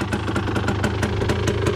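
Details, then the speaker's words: Honda TRX250R two-stroke ATV just got running: crisp popping idle at about five beats a second, fairly even and not stalling. A healthy idle. "there it is he's little birdie got her out got her running"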